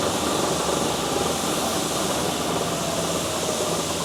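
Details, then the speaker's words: South Bend 14" swing tool room lathe, 480V 3-phase: the spindle gives a steady, even, smooth whir with no knocks or rising whine. The gear driving the lead screw is noted as quite noisy. "The gear that runs this screw is quite noisy. As you can hear, the spindle itself is quite smooth."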